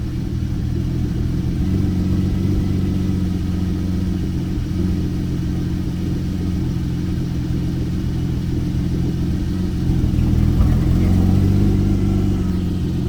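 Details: Porsche 911 991.1 with the check engine light on, after filling up at a warehouse-club station: low, uneven cold idle rumble with a lumpy, stumbling beat instead of a smooth hum; likely misfiring, cause unconfirmed.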